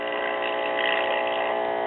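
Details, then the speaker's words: Circa-1935 Aetna (Walgreens house-brand) AM tube radio after its resistance line cord was replaced with a 200-ohm resistor, filament string at about 64 V AC: steady buzzing hum and garbled reception from failed original filter capacitors, one visibly blown. "of course it's obvious the filter capacitors are shot one of them you can see it's blown its insides out a little bit so at least with getting hum and garbled reception that tells us that all the major organs are good"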